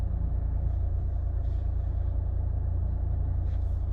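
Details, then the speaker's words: Chevrolet Malibu after brake repair for steering judder when braking and squeal when reversing; hard-driven pads three months old: low even rumble reversing and braking, no squeal; noise fixed. "보조 으 소리가 안납니다 으 안 나죠 호진 할 때도 소미 소음 없습니다"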